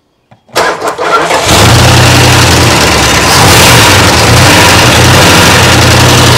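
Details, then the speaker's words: 1962 big-block Chrysler started for the first time after sitting a long time: engine runs loud and harsh with a busy clattery top-end rattle over the rumble; oil pressure needle not moving, owner suspects the oil pump lost its prime. "so sometimes these old Chryslers lose their Prime when they sit the oil pumps so we'll see maybe it's just lost its prime but it sounds like the valve train is just rattling to beat hell I mean it's crazy"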